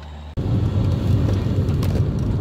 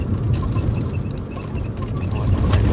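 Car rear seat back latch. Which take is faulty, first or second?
second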